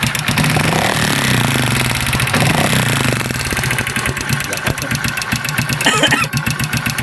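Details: Honda XRM 125 motorcycle before overhaul, revved: loud, harsh clatter over the exhaust note; excessively noisy engine, cause not yet clear.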